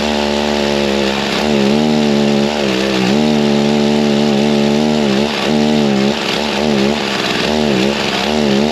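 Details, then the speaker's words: G366 chainsaw after big carb swap: high buzzing two-stroke wail sagging and wavering instead of climbing, falls on its face at low speed with no power though spinning rpm; fuel starvation, carb not pumping. "as soon as it got to the low speed it was not liking anything you could hear it fall on his face made no power even though it was spinning RPM"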